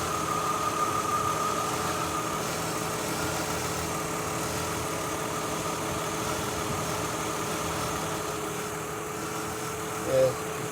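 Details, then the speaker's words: 2003 Mazda Tribute V6 at idle, old coil refitted and plug cleaned, AC compressor possibly on: hum stumbles irregularly about every second; misfire at idle, coils arcing because leaking valve covers let oil in; valve covers need replacing. "didn't get much worse if any picked up a little but it goes right back to missing"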